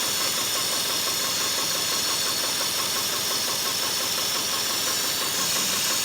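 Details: Four-cylinder horizontally opposed boxer engine running on only two cylinders: rough, uneven lumpy beat under a loud hiss; misfire being tested for injector, spark or compression faults.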